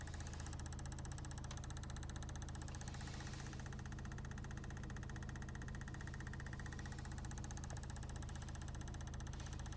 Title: Knocking sound in Car